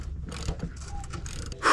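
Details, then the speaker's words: Nissan KA24DE swapped into a 300ZX, spark plugs out, turned over after refitting transmission and checking oil pan and clutch clearance: light ratchet clicks and gear whir, no knock or bind; engine turns freely. "Now we'll spin this, and it should be free because we still don't have spark plugs back in it."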